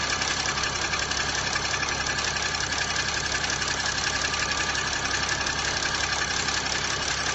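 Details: Chrysler 300C CRD diesel idling with clattery note and a regular tap about three times a second holding steady; knock source unclear.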